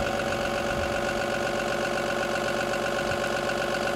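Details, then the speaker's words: Cummins B6.7 EPA 2017 diesel engine bench trainer with EGR, DPF, SCR, PTO on and idle raised to about 1,000 rpm: steady, even, normal diesel clatter before faults are inserted. "Now we're gonna turn on the PTO and adjust the idle speed up to about 1,000 RPM."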